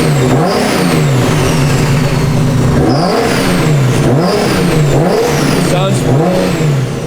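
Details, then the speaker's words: Turbocharged '32 with turbo setup: revs rise and fall with throttle but drop back slowly, hanging when coming off throttle; owner suspects wastegates opening prematurely, tune judged incorrect and needing dialing in. "I just didn't feel clean and like kind of it's still kind of just weird red hanging stuff when I come off throttle"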